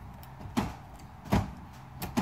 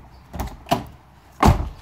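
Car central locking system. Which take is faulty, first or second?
first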